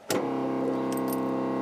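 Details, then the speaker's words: First-gen 12-valve Cummins Dodge cold start at about 15F after glow plugs; after a click, steady low even electric hum from the owner-installed electric fuel pump priming before cranking; electric fuel pump priming. "you hear that's the electric fuel pump I put in"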